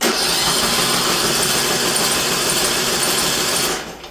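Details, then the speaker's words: Briggs & Stratton PowerBuilt 10.5 HP single-cylinder rear-engine rider mower after carburetor replacement, cylinder suspected flooded with gas: spark plug removed, cranking gives fast even starter whir with no compression beats and a wet hiss, clearing the cylinder. "So I'm taking the spark plug out so I can crank it with no compression, clear the cylinder."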